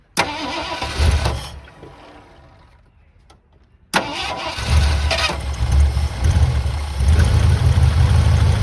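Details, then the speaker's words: 1979 Ford F100 Ranger XLT V8, abandoned in mud, dead-cold engine at about 31–32°F: cranks, catches, briefly stalls (possibly out of gas), restarts and settles into a steady, deep, even cold idle with no knocks. "look at that can you believe it I mean it is sitting there the engine is dead cold it's about 32 maybe 31 degrees outside maybe even colder and it's just sitting there idling that's awesome"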